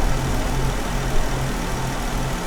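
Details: Jeep Wrangler idling with P0304 cylinder 4 misfire; coils and injector already swapped but the miss stays on cylinder 4. Dealer blamed the engine computer, yet oscilloscope shows injector pulses present. Regular stumble and dropped beat in the low idle rumble.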